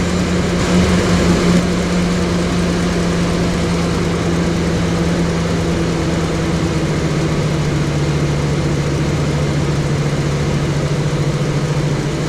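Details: 2007-2014 Chevrolet Silverado/Sierra 2500HD after water pump gasket and heater hose replacement: even low rumble settling into a smooth steady idle, no knocks, ticks or squeals; runs normally, coolant still full after 15 minutes.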